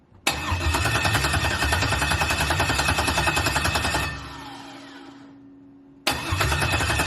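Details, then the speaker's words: LS-swapped 1986 El Camino (swapped heads, cam) on its first start attempt with a charger in jump mode; fuel pump runs, steady cranking pauses and repeats but never fires; blamed on the anti-theft system (VATS) not deleted in the used computer, originally from a 4.3 V6. "it'll basically do this it's trying to start but it's not going to start because the bats which is the vehicle anti-theft is not deleted"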